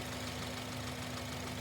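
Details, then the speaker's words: Running engine at idle with original pulley, near-identical ultrasonic amplitude to new: quiet steady idle, even low hum, no squeal, chirp or rumble; nothing a listener would catch; sounds healthy. "again you heard this car running now you hear it running natural this is with the original pulley and it really was something that you wouldn't catch your ear so to speak"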